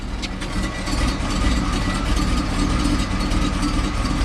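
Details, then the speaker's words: 1979 Hurst Olds V8, fast idle kicked off too soon before fully warm: deep idle with a faintly uneven, loping beat around two pulses a second; slightly lumpy cold idle. "it's not quite warmed up yet I kicked the fast idle off a little bit too soon so it's a little bit uh lumpy"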